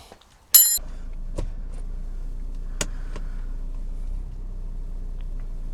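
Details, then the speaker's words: BMW E60/61 5 Series on the road after repair: loose dash brace bolts with stripped threads in the aluminium centre block were drilled, tapped to M10 and Loctited; low steady cabin rumble, a few faint ticks, dash creaking gone. "I can tell you already it's gone"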